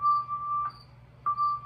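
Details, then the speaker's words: Hammond organ drawbar: a steady tone cuts out for about half a second, then returns, a dropout rather than mere zipper noise, from a damaged resistance wire under the drawbar contact. "that's more than zipper noise there's actually a drop out there and I can't have my organs making that sound"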